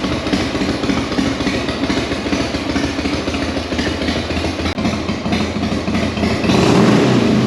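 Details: Carbureted Sturgis motorcycle started on choke in neutral after a leaking float valve fix: steady, even idle pulse with no stumbles or misses, rising a little toward the end; healthy running.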